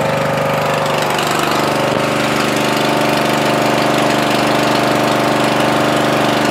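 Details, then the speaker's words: Murray 14.5hp 42-inch widebody LT lawn tractor, single-cylinder, after rewiring the miswired starter-solenoid ground. Steady even drone with no knocks or misses while running with lights on, checking charging reaches at least 13 volts; normal running. "okay we're gonna start it up again I'm gonna let it run see the charges at least 13 volts"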